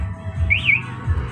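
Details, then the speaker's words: Yamaha R15 V3 with a newly installed MP one-way anti-theft alarm, armed in sound mode: repeating high chirp sweeping up and down about once a second over a low rumble as the parked bike is moved; alarm siren sounding normally. "Jadi kalau misalkan digeser maka dia akan bunyi seperti ini ya"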